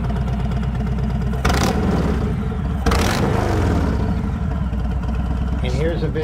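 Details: Harley trike from a before-and-after comparison of a new cam and lifters install: deep, loping V-twin idle with steady, even pulses and a couple of light throttle blips, nothing uneven. Normal, healthy idle.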